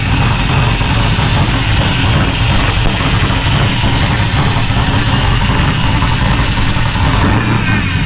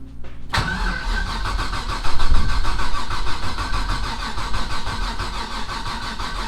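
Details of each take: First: Rally Camaro LS V8 with no exhaust fitted, first start on new Aces Jackpot standalone ECU, not yet at operating temperature so not self-tuning: loud, steady, even rumbling idle, no misfire or knock; normal idle. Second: Rally Camaro LS V8 on new Aces Jackpot standalone ECU: starter cranks steadily, about three and a half turns per second, never catches, fuel smell; no spark, 98% certain from coil pack grounded through gasket-isolated valve cover bolts, not yet confirmed.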